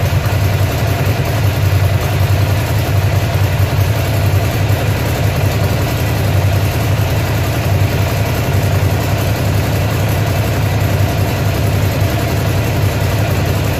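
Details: Ducati Monster (696/795/796/1100) V-twin with lumpy, uneven idle and occasional dropped beats over a steady rumble; engine misfire at idle, cause not yet pinned down.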